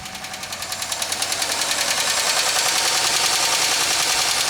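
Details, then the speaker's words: 2003 Pontiac Grand Am GT coupe with coolant-contaminated oil and low coolant, just after start-up: fast even tapping about three to four per second into loud idle clatter; upper-end noise suspected rather than rod knock. "That definitely sounds like upper end noise. I think that'd be a whole lot worse if it was a rod knock."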